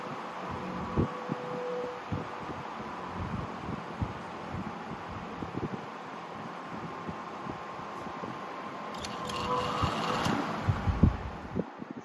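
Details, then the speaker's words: Lakewood HV18 CCB industrial/commercial fan with McMillan 4-pole PSC motor running on high; faint rattling buzz over the hum from a slightly loose capacitor vibrating. "vibrating sound is coming from the capacitor. It's just a little loose."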